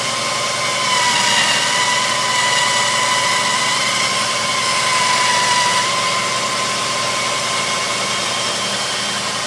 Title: Wj overland screeching noise on idle